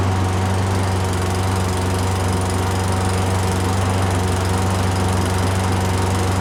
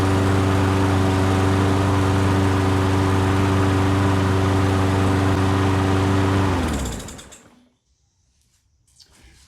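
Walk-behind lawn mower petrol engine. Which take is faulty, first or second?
first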